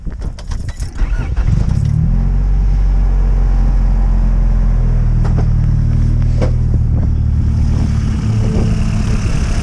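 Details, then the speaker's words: Honda Civic with a rebuilt, tuned JDM B20B (GSR head, Skunk2 Stage 1 cams, adjustable cam gears, 440cc injectors), started on a chilly day: brief cranking, then a steady even low idle with no knocks or misses; healthy. "right, it's alive, baby, it's alive."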